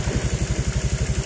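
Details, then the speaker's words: Honda Vario 125 LED scooter that stalled, wouldn't start and showed MIL, after replacing the faulty CKP (crankshaft position) sensor: even low putt-putt at about nine beats a second, steady and unbroken; normal idle restored. "Oke, [musik] si motor udah nyala lagi ya, sudah normal kembali seperti semula."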